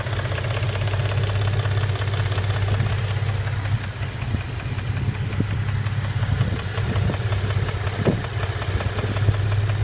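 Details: 2006 Nissan 350Z VQ35DE Rev-Up V6, manual, 60,000 km, oil level OK, with plenum, headers and side exhaust mods: low steady idle drone with a faint, regular ticking knock, cause unknown.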